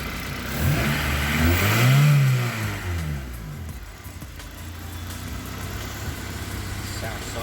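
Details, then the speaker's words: Honda Accord CB7 with G23 VTEC engine after new OBD2 injector installed in cylinder three: blips up and settles to even idle without stumbles; running smoother, no more misfires. "ejector number three new ones been installed she's running a hell of a lot smoother no more misfires"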